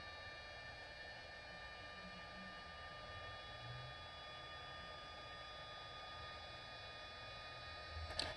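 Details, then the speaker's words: Replacement 10 mm fan in a Traxxas EZ-Peak Plus charger, thought to spin about 7,000 rpm: steady high whir with a thin whistle, no rattle. It replaces an original fan that was noisy from a dry, worn bushing, and sounds different but about as loud. Normal. "about the same as what the original fan was as far as noise goes just a different sound"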